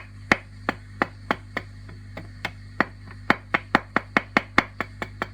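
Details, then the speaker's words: Fender Princeton Reverb with volume up, preamp tubes tapped with a toothbrush: sharp ringing knocks over steady amp hum and hiss, microphonic preamp tubes one and two; the noise stays with volume down. "okay microphonics gone on preamp one and two that's not unusual"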